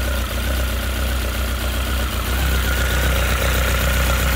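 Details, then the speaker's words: Honda CB1300 after full engine rebuild, first run: even, steady four-cylinder idle, smooth low drone, no knocks, misses or leaks; nice crisp even tickover, engine healthy. "Looks good, sounds good, running good. And as I say, nice, crisp, even tick over."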